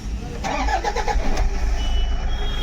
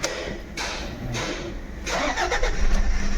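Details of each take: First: 2011 Toyota Fortuner diesel after fixing injector circuit (DTC P0200) wiring, clip temporarily fitted: brief crank, quick catch, smooth even diesel rumble with no lumpy beat; misfire solved. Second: 2011 Toyota Fortuner diesel with engine misfire and pickup drop, DTC P0200 injector circuit open returning after clearing codes: cranks, catches, then uneven lumpy idle with irregular stumble; dead cylinder, injector number not shown.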